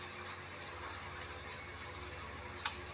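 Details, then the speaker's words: Sakura AV-739 amplifier with no sound because the protection relay would not switch on, after removing faulty components: quiet hum, then one sharp click as the relay pulls in at power-on; amplifier now powers up properly. "Ayun kung narinig niyo mga boss nagsis Yung kanyang relay Ayan so panigurado meron ng tunog to ngayon"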